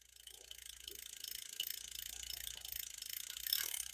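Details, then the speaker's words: Shakespeare 2052 "Royal Maroon" ultralight spinning reel from 1966 makes a faint fine ticking and rasping that pulses with each turn of the handle; the bearing is suspected (1/4 in ID, 5/8 OD, 3/16 thick), and the reel is still considered smooth enough to fish. "Whatever's doing that will go away. It could be that bearing. You hear it? I believe it's a bearing."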